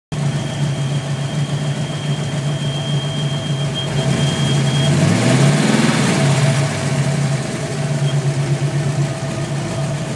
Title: Vacuum leak on my 5.0